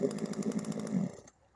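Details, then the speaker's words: Daewoo 12-inch one-hand chainsaw, two-stroke, after reattaching a detached fuel hose that had stopped it starting: primed and switched on, it catches and buzzes with an even quick beat for about a second, then cuts off; normal running. "Sekarang kita cuba lagi. Kita start pump minyak. Kita switch on."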